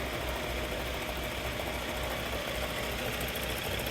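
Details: Mahindra Scorpio at idle: rough, uneven knocking and metallic rumble from the gearbox side; gearbox bearing failure, gearbox to be removed.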